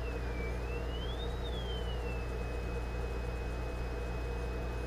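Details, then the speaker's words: Zenith 4-B-231 radio speaker and output transformer under test, field coil energized by a 9-volt battery, audio generator at about 400 Hz: faint thin whistle bends upward then holds steady over a low hum; signal passing. "all right let me flip on the audio generator again you may be able to hear that very faintly we're generating a signal about 400 Hertz"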